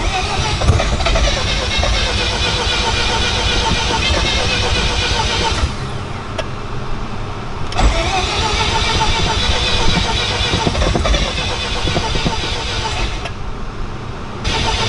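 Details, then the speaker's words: Mazda FC RX-7 with rebuilt rotary engine, first start in 6 years: starter turns it over in labored, uneven bursts with pauses between tries; slow cranking, battery suspected low, so a jumper and battery tender are added. "sounds like it's low you want to put the jumper on it is a bit"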